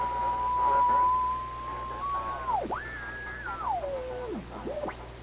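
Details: Recently restored 1934 Atwater Kent 944 tube radio on checkout, dial near 1500 kc: a clear whistle glides up and down in pitch as the dial turns, over faint hiss. Heterodyne on every incoming signal; alignment suspected, not confirmed.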